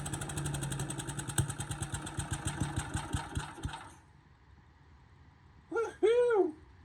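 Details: Bolens 3.5 chipper-shredder, stored under a tarp and unused for at least 20 years, running on its own fuel tank with a slight fuel drip, no starting fluid: single-cylinder putter about three and a half beats a second, slowing and dying after four seconds; engine runs on its own.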